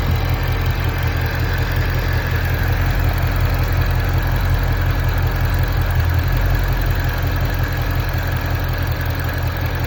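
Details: Ford Mustang GT350 V8 at idle: deep steady rumble with faint irregular chatter over it; noise at idle, source unclear.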